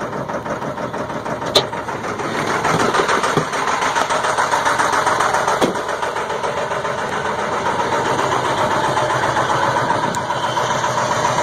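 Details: 2002 Ford F350 7.3 Powerstroke at about 34°F, finally catching after about 8.5 minutes of cranking: uneven, lumpy cold idle with irregular knocks and heavy white smoke; cause unknown.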